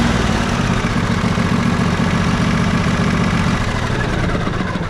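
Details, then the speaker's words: Riding mower twin after valve adjustment, with the compression release confirmed good, fixing slow cranking. Steady, even full-throttle drone on both cylinders with no misses or knocks; it smokes after one cylinder sat unused, and the plug was carbon-fouled. "all right so that one's good we already know the other one was good from before let's fire it up at Full Throttle and see how it sounds"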